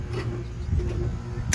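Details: AC condenser on a no-cool call, contactor pushed in manually: low strained hum with no spin-up, then a sharp snap as the contactor pops open; bad contactor and failed compressor that won't start, compressor replaced.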